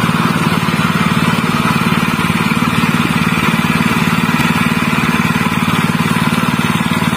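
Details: General CX160 5.5 HP stationary engine that fouled its spark plug black and stalled quickly, after fitting a new plug: even, steady idle with a regular firing rhythm and no stumble or knock; running normal again.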